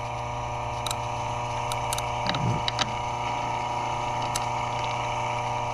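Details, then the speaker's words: Repaired three-face tower clock mechanism, removed from its 25-foot tower: steady mechanical hum with a few sharp, irregular clicks as the spring-loaded catch, found completely worn out, rides over its cam block; normal running. "He just sits there and runs continuously, and he clicks. And for the life of me, I have no idea why, unless it's to keep this here from falling backwards."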